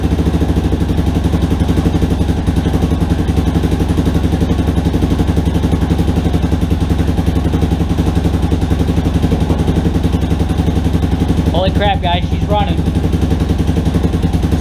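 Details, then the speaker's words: Rebuilt Yamaha Warrior quad on its first start, with the carburetor cleaned and the idle screw two turns in. Steady single-cylinder thump at even idle, no ticking or knocking, brief squeak; healthy, though idle still needs adjustment before break-in. "pretty good oh i gotta mess with that idol a little bit more but man guys this sounds really good i'll tell you what i haven't tried to rev it up or anything yet but i didn't hear any noises i didn't hear any ticking or anything"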